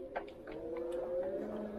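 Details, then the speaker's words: RKS DC15 electric bicycle, braking on a hill ride: steady high squeal with short scrapes from the new disc brakes, not yet bedded in. "Diskler yeni olduğu için biraz ses yapıyor"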